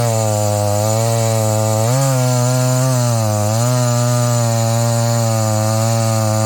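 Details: Husqvarna 285 (85cc) two-stroke chainsaw after a seal replacement and a shortened bar, cutting wood: strong steady buzz dips briefly as the chain bites and recovers cleanly, no stalling or surging; running right.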